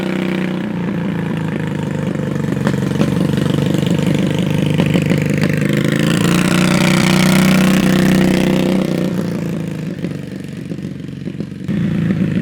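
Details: On the first ride of a Predator 670cc V-twin chopper (carbs and chokes on), revs climb and hold high before dropping to a lumpy idle. The 3500 rpm race stall clutch on the CVT 780 torque converter needs lots of revs to pull away.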